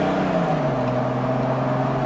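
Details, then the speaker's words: Toyota Land Cruiser HDJ81 automatic at interstate speed under full load after a 5-quart fluid top-up: steady drone, constant engine note, no flare, shifting cleanly. Owner says it slips when hot after idling and suspects a solenoid. "So you see it has no problem under full load shifting at all."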